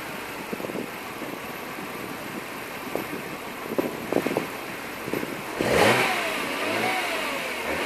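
Uneven, stumbling idle with the revs sagging and then surging back up; rough, hunting tickover of unknown cause.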